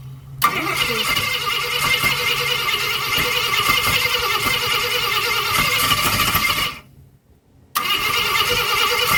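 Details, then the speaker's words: 1965 Ford Thunderbird during rebuild, start attempt using fluid from a can: starter cranks unevenly for several seconds, fires briefly then dies; won't keep running on its own, cause unclear. "Isn't there a little bit left in that can? Yeah. It fired. Did you hear that? I heard something."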